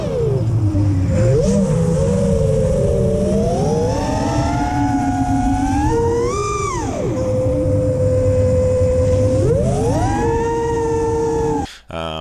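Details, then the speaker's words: FPV quad in flight: motor whine rises and falls with throttle; above mid throttle a piercing tuning-fork tone near 460 Hz locks in; frame resonance howl, later fixed with static notch centered 465 Hz. "little over mid throttle it just starts it's like tuning fork"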